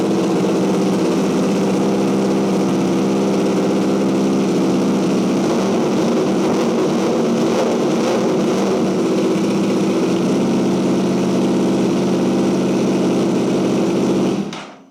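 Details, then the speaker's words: Wrecked 2023 Yamaha YZF-R1 run briefly in a smoky garage; very loud raw steady roar about fourteen seconds then shut off, some smoke from rear, owner guesses straight pipe to headers: loud exhaust, unconfirmed. "I'm not gonna run it too long, and it's smoky as hell in here, but that sounds awesome. That is super, super loud."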